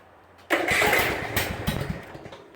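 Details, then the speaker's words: Zero-turn mower after replacing the bad starter solenoid with a new 12-volt one: short crank, then the engine catches at once and runs evenly; starting problem fixed. "right over no problem that's how you fix a starter solenoid"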